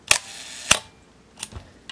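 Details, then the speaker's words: Minolta SRT 202 35mm SLR shutter at 1/2 second: crisp opening click, then a clean closing click about half a second later, with no drag or hesitation. The shutter times correctly. "and one full second and that sounded pretty good"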